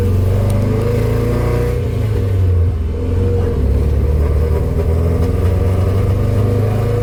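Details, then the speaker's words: Nissan 240SX S13 driving around the block on its first drive: deep engine drone is uneven with scattered pops and stumbles, not running correctly. "um and i know in the video you can probably hear it breaking up and popping and just not running correctly"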